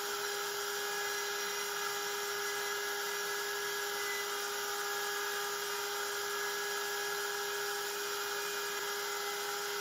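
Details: Genmitsu 3030 PROVer Max desktop CNC with 1.25HP Makita router instead of stock 300W spindle, pocketing aluminium: steady high-pitched router whine, constant pitch, no chatter or wobble; smooth vibration-free cut, near-mirror finish, square 19.97 mm.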